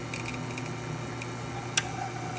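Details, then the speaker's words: ECM Technika Profi IV espresso machine after service, with pipework to the heat exchanger descaled and the pump at 8 bar while brewing: only a faint, steady low hum with one light click, possibly slight crackling in the pump; normal quiet pump. "you can see, really silent. Brewing, I can adjust the pump, but it's at 8 bars right now. Completely silent. No noises whatsoever."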